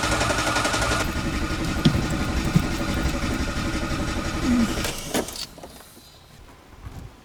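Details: Old choke-equipped car, choke pulled and pedal pumped: steady, even cranking about four turns a second for five seconds, stops without catching; engine turns over but won't fire, cause unknown.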